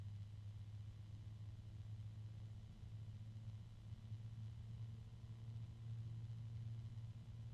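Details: Phobya G-Silent 14 140 mm 1400 RPM PC fan at higher speed: steady deep hum around 100 Hz with faint higher tones stacked above; very noisy fan with low, mid-high and very high tones, bearings suspected.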